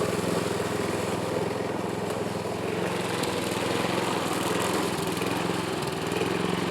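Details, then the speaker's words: Yard Machine lawn mower, compression test only about 60 psi even with oil squirted in cylinder, engine judged shot, smoke from added oil: uneven lumpy beat around three a second with speed hunting; rough running from low compression. "u guys can hear how it's running it ain't running good but I do have some grass to mow so go ahead and get this done"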